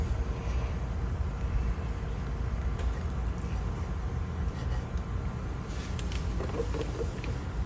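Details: Pentair MasterTemp pool heater that was clicking, popping, shaking and not heating: after the repair it lights with a steady, deep, even burner roar and no popping or crackling, so it fires and runs normally.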